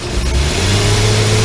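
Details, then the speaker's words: 2002 Nissan Pathfinder with check engine light, during revving: engine sounds flat and labouring, never pulling cleanly; MAF reads only about 2 volts at wide open, faulty mass airflow sensor. "if you could see more of it goes but still sounds like it's hesitating here"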